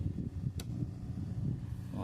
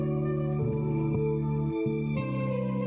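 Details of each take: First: O'Neal powered speaker that switches on but plays no sound: low steady hum with a sharp click at switch-on, pointing to a failed rectifier diode in the power supply. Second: Oneal powered speaker box after repair (it had powered on with a strange noise and no sound; faulty components replaced): music plays clearly with full bass and melody, no hum, crackle or distortion; working normally.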